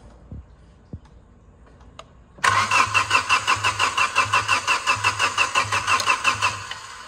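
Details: Car engine hydrolocked after being submerged in heavy rain, water drained from it. Steady starter cranking at about three turns a second with no firing, spinning the engine over to expel the water.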